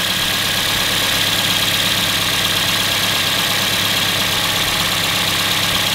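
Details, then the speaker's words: Engine idling with one coil-over-plug disconnected in a power balance test, so no spark or power stroke in that cylinder: uneven, loping beat about three pulses a second under a steady hiss, rough running from the dead cylinder. "I'm not going to get a spark or a power stroke in that cylinder and that makes the engine run rough if it was working properly before"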